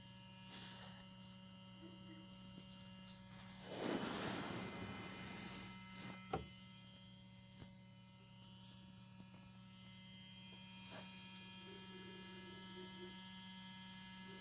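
A steady, even electrical hum from the gearbox control unit with the ignition on and the engine silent. Cause suspected, not confirmed.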